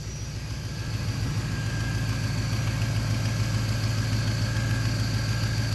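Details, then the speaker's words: Cadillac Fleetwood engine at idle after coolant valve work: rough, lumpy idle with deep regular bloop about three times a second over the rumble; misfire, owner blames failing OptiSpark distributor, and it later wouldn't restart. "Every time when you hear that bloop bloop sound, that is a miss."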